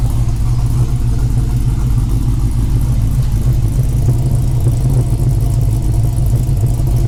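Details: 5.7L Gen III Hemi V8 in a Dodge Challenger after installing a Texas Speed high-lift cam, Holley Sniper fabricated intake, MSD ignition and new valve covers: deep, steady rumble with an even firing pulse, no ticks or knocks; smooth, healthy running.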